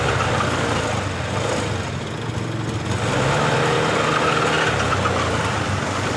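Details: Honda Beat LED Deluxe scooter with stored DTC code 7, before repair: engine runs but with an uneven, burbling, stumbling note, sputtering especially on initial throttle, sometimes normal; cause not yet found, EOT sensor to be checked on scanner.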